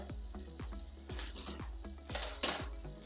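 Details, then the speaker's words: Bicycle rear derailleur with too much cable tension, shifting down the cassette: light rhythmic clicking from the chain each crank turn as it won't settle on the 11th (smallest) cog; fixed by threading barrel adjuster clockwise. "the second scenario is that the derailleur will not shift down the cassette that means too much tension on the cable let's check it shifting down the cassette now okay you can hear some noises on the chain"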